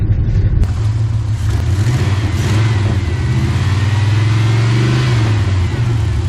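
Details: 1997 GMC half-ton, 5.7 V8, automatic: deep revving with an uneven, lumpy beat that stumbles instead of pulling smoothly. Misfire.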